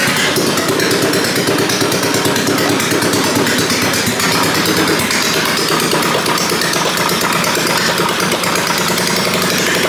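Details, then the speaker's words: Half-scale NASCAR Mini Cup race car after carburetor cleaning and reconnecting the fuel pump: sharp, rapid, raspy popping with harsh crackle, running steadily with no exhaust fitted. "No exhaust on right now, but we're scooting."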